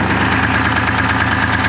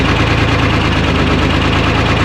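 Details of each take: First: 1975 International Loadstar 1850 with Detroit 6V53 two-stroke diesel, just revived after loose fuel lines and empty tank, at fast idle: steady even clatter, no stumbles or skipped beats; earlier smoke clearing, owner unsure if it was just air in the fuel. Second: 1975 International Loadstar 1850, Detroit 6V53 two-stroke diesel, first start after fuel-line work, idle set high, no coolant in it: loud clatter with uneven beat about three pulses a second, cylinder dropping out, heavy miss; owner suspects air in fuel or real issue; oil pressure about 65 psi.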